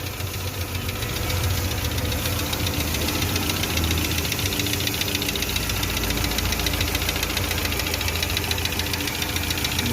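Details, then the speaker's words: Petrol car after worn A/C compressor noise fixed: fast, light ticking about three or four per second over idle, mild; mechanic suspects hydraulic lifters, unconfirmed. "tiene un sonido pero lo que puede ser lo que es buzos hidráulicos pero ya no es muy muy escandaloso como eran antes"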